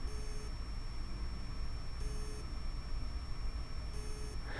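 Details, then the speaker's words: Xbox One S hard drive, plugged in while troubleshooting no display, powers up with short high beeps repeating about every two seconds and is not detected; the drive has likely failed. "anyways beeping Drive probably means it's toast at least in my books that means it's toast"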